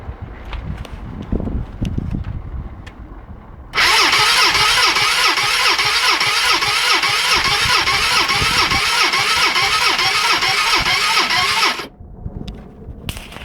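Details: Gilera 125 with new top and bottom gaskets, new spark plug, charged battery and good thumb compression: starter turns the engine evenly, about two compression beats per second for eight seconds, never catching; cranks but won't start.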